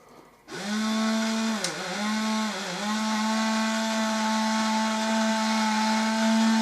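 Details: Clean steady buzzing whine with two short pitch dips as the load catches, then an even run: an Expo gear motor driving a Peco model turntable on 6-volt batteries, gearbox modified with two pieces removed and a spacer added to speed it up.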